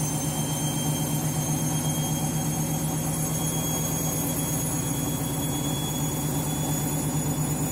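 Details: Washing machine final spin after a very sudsy final rinse (possible suds lock, load sensor deciding speed): loud steady roar with a constant low hum throughout the high-speed spin; far noisier than normal, cause unclear.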